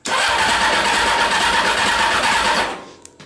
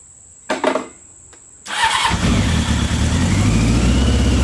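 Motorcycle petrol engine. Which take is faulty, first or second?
first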